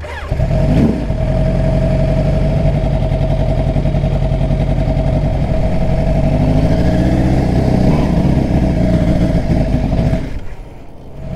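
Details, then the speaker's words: Kawasaki Ninja sport bike at operating temperature runs rough and lumpy, won't take throttle and stalls within a few feet; bogging and stalling when hot, cause suspected, not confirmed. "once we got to operating temperature this bike is just flat on its face it will not let me go past throttle without shutting off"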